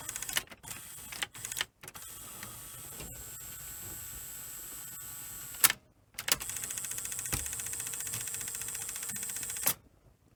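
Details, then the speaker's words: Sony SL3000 portable Betamax deck: small motor whirs in short runs with a fine, regular tick while unlacing; owner suspects a missing washer/e-clip on the spool shaft end. "do actually wonder if there should be a washer on the end of that as well, you know, cuz I can hear it sort of ticking when it un laces."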